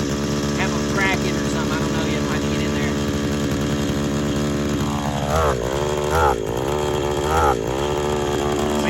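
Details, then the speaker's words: Worn 2010 RedMax edger, two-stroke, warming up: idles buzzily, then sags and drops in pitch whenever throttle is opened, as if flooding the carburetor. Owner suspects the carburetor diaphragm. Bogging on throttle. "when i try to get the gas it just jumps in the carburetor like it's flooding it out"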